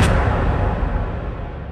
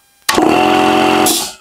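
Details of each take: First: Air compressor motor knocks twice and stops without starting, then a rough hiss of air follows; the start capacitor is suspected and was later cleaned and replaced. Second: Air compressor that powered on but would not start, after oil change, contact cleaning and a new start capacitor: catches instantly and settles into a steady, even buzzing hum; the faulty start capacitor was the cause.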